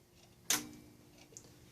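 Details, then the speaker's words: Repaired Bose amplifier from a 1992-93 Mercedes W140 S-Class, bench-tested with radio feed: a single sharp relay click at power-on, then quiet hiss; the relay pulls in and the amp is on, powering up normally. "a relays click that means that the amplif far is on"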